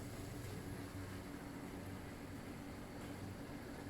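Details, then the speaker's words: Properly working Intex Krystal Clear filter pump, same setup as defective one: quiet steady low hum with even impeller whirr, no rattles or surging; normal running with bubbles at outflow. "so as you can see here rather so it's vibrating and you can hear the impeller working inside"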